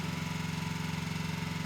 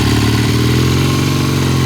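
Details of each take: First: 1972 Triumph TR6 motorcycle, warm: even steady idle with regular beat, no knocks or misses; normal warm idle, earlier cold roughness put down to slow warm-up. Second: 1972 Triumph TR6 motorcycle, cold start on kickstart after front sprocket replacement: twin idles unevenly, stumbling and fading, breaking up; rough cold running, slow to warm up, pilot jet suspected, not confirmed.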